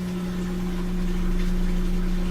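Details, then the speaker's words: Samsung washing machine that would not drain, after the drain pump was replaced, set to spin; steady even low hum with no grinding or rattle as water drains fast; normal drain pump operation. Old pump was found full of sand. "now we're gonna turn it on set it for a spin and then it should drain out all the water so it sounds good"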